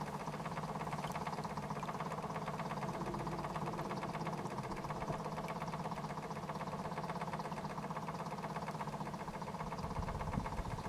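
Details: Model steam boat Edith after hull rebuild, steaming in the bath with front hatch removed so the gas burner gets air: quiet, steady chuffing around three beats a second, no knocks or hesitation; small steam engine running sweetly.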